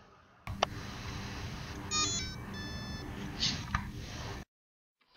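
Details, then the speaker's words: HobbyKing 20 A brushless ESC before flashing with SimonK firmware: a short run of clean electronic beep tones at power-up, then silence, the stock speed controller initialising normally. "I want to go ahead and let you hear what a standard speed control sounds like pre flashed and this is what a spe control sounds like"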